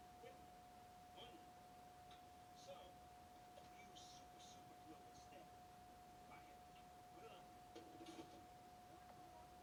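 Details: Brand-new Sony Bravia 32-inch TV making faint, irregular faulty clicks and ticks in a quiet room over a steady mid-pitched tone.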